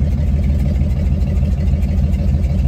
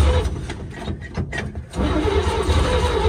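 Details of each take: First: 1954 GMC 150 barn-find truck running for the first time after sitting, following new plugs, wires, rotor and fuel line: deep, steady low rumble at idle with an even beat and no misses or knocks; normal idle. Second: 1954 GMC 150 barn-find truck with new plugs, wires, rotor and fuel line: starter grinds the engine over at about three turns a second with no firing catch; cranks but won't start, fuel delivery being checked, ether considered.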